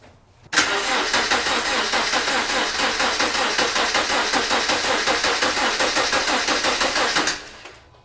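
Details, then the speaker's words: Replacement JDM EJ25 non-turbo engine in a 2009 Subaru Legacy, cranked with the fuel pump fuse pulled to prime oil until the oil light went out: even, strong cranking at about three turns a second, no odd noises. Normal cranking. "Well, that sounded pretty good. I cranked it until that oil light went out."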